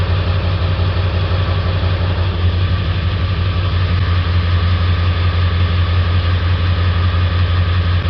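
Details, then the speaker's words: 1999 Ford 7.3 Powerstroke diesel, hard to start cold, loping with black and white smoke: steady drone with uneven loping pulse during cylinder contribution test; cylinder three dead misfire from faulty injector, other seven good. "the next thing I'm going to do is I'm going to access cylinder number three since I know I have a dead misfire"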